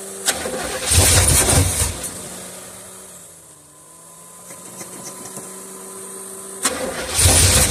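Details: 1976 Olds 455 big block with 400 Turbo in an 84 Blazer/Suburban, sat 155 days, carb cleaner sprayed as starter fluid; two bursts of steady starter churning with no catch or firing pulses; cranks but no start, cause unknown.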